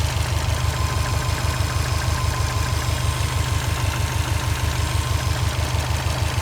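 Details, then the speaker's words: Subaru Forester SH9 with swapped EJ255, first start: even knock about three per second over deep rumbling idle, absent on an identical engine beside it; a piston pin is suspected, not confirmed. "слышен какой-то стук небольшой, но непонятно откуда. Просто вот слева от меня второй такой же мотор."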